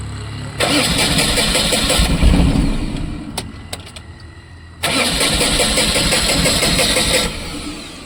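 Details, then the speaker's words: Tata Ace Gold BS6 petrol pickup after the fuel tank and pipe connections were refitted: two long bursts of steady cranking, about three to four turns a second, but it won't start. Scan shows an engine management fault involving cylinder two. "अब क्या हो गया कि गाड़ी start नहीं हो रही, ये तो फिर से वहीं पहुंच गई जहाँ से हम चले थे।"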